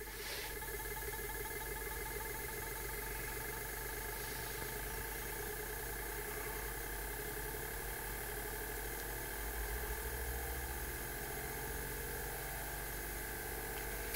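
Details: Homemade pulse motor with rotor under a cover, potentiometer working, run from a battery the owner thinks is quite dead and charging a battery: steady whirring hum with fine high tones at even speed, no stumbling or knocks. Normal running.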